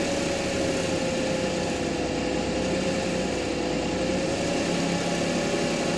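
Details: Audi A6 3.0 TFSI engine held near 1500 rpm, with a thin steady whine that wavers slightly in pitch over the even engine note.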